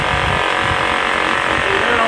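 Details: Small generator during Hurricane Matthew, after oil was forced from a hydrolocked head and Seafoam cleaned the fouled carb: dense, steady drone with even pulsing, no misses or surging; normal running.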